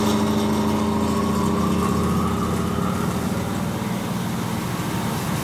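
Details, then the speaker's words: Cellar King bar chiller condenser fan, about 4 years old running 24/7, shot motor bearings: loud rough mechanical roar and droning hum, unit shaking hard; one bearing possibly gone entirely. "switch her on and listen to how bad this thing sounds this has got shot bearings galore"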